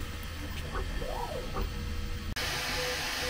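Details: Brand-new Bambu P1P on its first print after calibration, in sport speed mode: soft motor whirring with brief rising and falling tones as the head darts around, smooth and free of grinding; normal, healthy fast printing.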